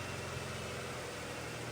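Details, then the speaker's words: Honda CR-V after a flood and an engine swap, snorkel inlet blocked to test the seal: a steady, slightly strained idle with an airy rushing hiss; the engine is running on very little air but not stalling. "I mean, it's running off of very little air right now. Yeah. I wonder where it's even getting in from."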